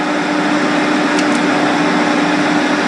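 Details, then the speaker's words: Santa Fe Advance2 dehumidifier after defrost thermostat replacement, fan on and humidity knob turned up: steady low compressor hum under the fan's airy rush, no rattle or cycling; compressor runs normally, thermostat was the fault. "listen for the compressor Turn on again you you should hear a a low humming"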